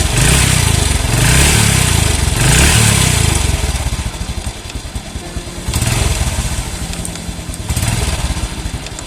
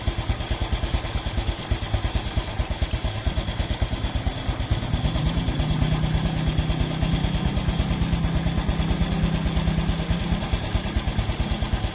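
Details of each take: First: Small single-cylinder motorcycle on fresh Shell Advanced AX7 10W-40 oil, warm, light throttle blips: loose uneven clatter under each rev rise, suspected from clutch housing rubber dampers or clutch play; judged tolerable. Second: Single-cylinder motorcycle after changing to Shell Advance AX7 10W-40 synthetic-based oil, warmed up at idle: even putter with steady beats and no knocks, sounding smoother than before on the old oil.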